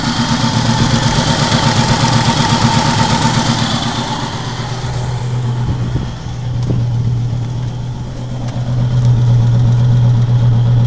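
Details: Volvo 850 after cylinder head replacement following timing belt break: uneven rough idle with puffing beat and raspy exhaust-leak chuff, down on power; misfire suspected, possibly cam timing off by a tooth, unconfirmed.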